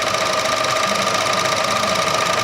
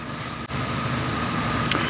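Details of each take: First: Chevrolet The New Aveo 1.4 sedan, four-cylinder at idle: fast even ticking about three a second from a chattering purge solenoid valve, common for this car; otherwise no abnormal noise. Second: Chevrolet The New Aveo 1.4 sedan, gasoline, 123,000 km, idling with heater on: smooth, even idle hum, faint steady tone, no knocks or ticks; idle vibration well controlled, rising slightly in reverse and drive, no fault codes.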